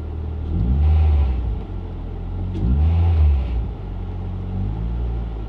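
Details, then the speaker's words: Mk6 Ford Fiesta ST after fitting a new intake pipe with crankcase breather line to cure an idle issue; on two quick throttle blips the revs hang high and ease down slowly instead of dropping to idle. Fix did not work, seemed worse. "let's go see if it works right again I'm literally just gonna give it a little blip"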